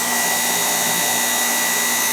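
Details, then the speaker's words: Two-speed rotary machine motor tripping its safety fuse, run at high speed: steady smooth hum with its usual constant faint whine and very little brush spark; no grinding or dry-bearing noise, motor sounds tight and normal. "So it sounds really tight. Really, there's no sound of bearing noise."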